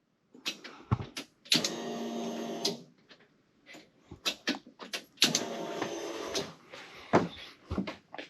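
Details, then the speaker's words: 1991 Ford Mustang GT Foxbody with adapted 1990 ECM/engine harness, first key-on: sharp relay clicks then about a second of steady buzzing hum each time; normal fuel pump prime, pressure rising to about 20 psi, no fuel leaks. "All right, relays are clicking. Fuel pumps are doing things."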